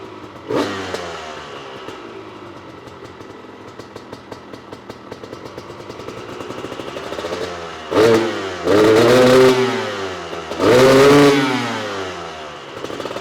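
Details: Honda CR250 supermoto two-stroke, Mikuni carb with the main jet swapped to a 400, warmed up: it pops and crackles at a loose idle, then half-to-full-throttle blips pick up cleaner but still sound unsettled during jetting.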